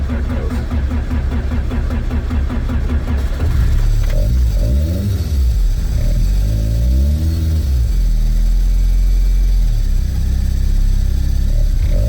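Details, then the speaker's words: Toyota AE86, first drive attempt: harsh metallic grinding over the engine for the first seconds, then revs rise, from a brand-new starter whose pinion stayed meshed with the flywheel; starter pulled. "all right so first hiccup on my initial try to or on my initial attempt to drive the car you guys heard that crazy metal on metal noise uh it was coming from the starter"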